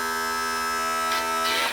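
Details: 1986 35 hp Mercury outboard tilt/trim, just repaired (cleaned stuck, dirty motor brushes) and refilled with fluid: steady electric pump whine with rough, hissy bursts of air gurgling through the system; more fluid likely needed.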